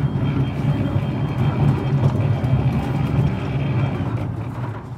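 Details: D5 sliding gate motor after the cover was realigned: steady low motor drone with even gear rumble as the gate travels, tapering near the end; operating normally.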